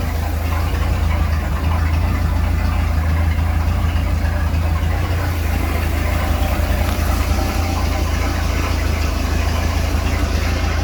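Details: Speed boat inboard engine after repairs, started with water on; deep steady idle rumble settling and holding evenly with no knock or stumble; runs fine, returns to idle, though raw water hose is leaking.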